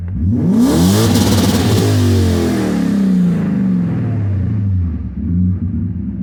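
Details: BMW M60B40 V8 with chipped 404 DME and 7k rev limiter: it blips up sharply, then revs sag back slowly over a couple of seconds before settling. This lazy return to idle is suspected to come from a vacuum leak, not confirmed.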